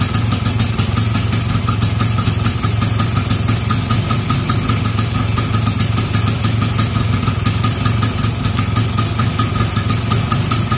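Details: Vespa Super Sprint converted to a Japanese PE24/PE26 carburettor with a Grand CDI, started after two weeks unused: even, rapid two-stroke putter holding steady at idle, regular firing with no misses or hunting. Normal idle.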